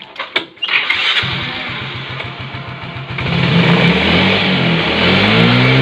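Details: Normal idle of a Yamaha Mio J scooter after fixing high, self-rising idle by replacing the crumbled sensor gasket seal with a thicker one: fires up and settles to a steady, even idle with no hanging or climbing revs.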